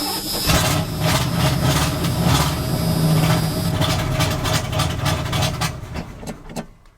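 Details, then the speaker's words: Old 1984 GMC truck with weak battery on charger boost, gas poured into carb: cranks, catches and runs rough about five seconds, then dies; fuel isn't reaching the carb from the tank, cause unconfirmed. "ran longer let me see this gonna gas in the car via from the tank"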